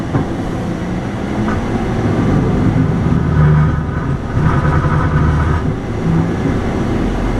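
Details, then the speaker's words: John Deere 4066R with Leon snow blade lowered on a concrete driveway with downforce off: heavy rumble with uneven rattling shudder as the unloaded blade skips; vibration disappears with downforce on. "you hear that vibration now let's back up and let's do that same thing again this time I'm going to turn on the down Force when I put it down no vibration whatsoever"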